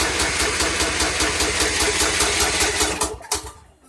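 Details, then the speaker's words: 2014 Troy-Bilt Bronco 13WX78KS011 mower, Kohler 17 HP, new carburetor fitted: steady cranking chug about two and a half beats a second for three seconds, never catching; no-fire because choke not engaging, cable adjustment needed. "Looks as though the reason it's not firing, Joe, is because the choke's not engaging."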